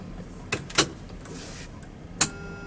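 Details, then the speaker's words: VW Beetle EV conversion at key-on: relay clicks, then a solid clunk as the main contactor closes, followed by a faint steady buzz. This is normal; some contactors buzz and some don't. The DC-DC converter and inverter draw 0.5 A. "you can hear the main contactor buzzing some do some don't can never figure out why"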